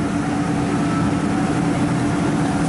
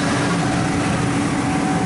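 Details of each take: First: Ford E-150 5.4 L V8 at idle, no code: steady heavy rumble with uneven loping beat, constant dead miss; PicoScope traced the misfire to cylinder 3 and a failed ignition coil. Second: 5.4 L V8 Ford E-150 van idling smoothly and evenly under loud shop background noise after a new ignition coil on cylinder three cured the misfire; no stumble or miss.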